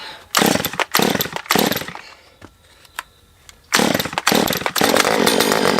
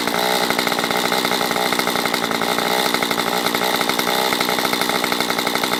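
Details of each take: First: Non-running Stihl MS194T chainsaw with a fuel problem, taken off choke with the carb set fully rich on low and high: short revving bursts that cut out and pop, and it sounds like it is sucking air. A carb fault is suspected. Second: Stihl MS194T chainsaw after its fuel problem was fixed and the carb richened, warmed up and oiling: it holds a high, steady two-stroke buzz without stumbling, surging or dying, running normally.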